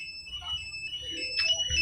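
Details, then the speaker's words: Yamaha XABRE smart key alarm: remote away, ignition forced about 5 seconds, so the remote gives loud shrill chirping alert tones; the bike siren is 60% covered. This alert pattern signals a break-in attempt. "Ini kalau notifikasi seperti ini berarti itu tandanya ada pembobolan ya."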